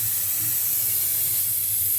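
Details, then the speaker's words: Truck tire with a screw puncture, air deliberately let out before patching with liquid tape: steady high hiss of escaping air; tire air leak hiss. "so I'm going to let the air get out of here for a bit and then I'll uh work on the pat"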